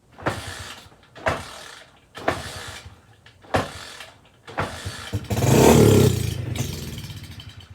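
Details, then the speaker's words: SSR pit bike with fresh fuel, choke tried: five kick or crank bursts about a second apart, then a longer effort that never catches; turns over but won't fire, owner suspects gummed carburetor with stuck float. "no i imagine we have a uh imagine we have a stuck float pretty common but there's enough life in there that it makes it worth our time to pull that carburetor"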